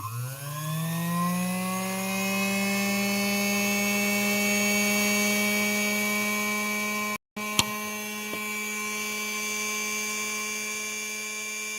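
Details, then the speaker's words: Featherweight sewing machine, known-good motor tested on the bench after the bypass check: the hum rises quickly to a steady, even pitch with no roughness or rattle. This motor runs correctly; the other, troubled motor does not. "so we know that our bypass is working properly we know that we've got one more one motor that's working correctly one that's not"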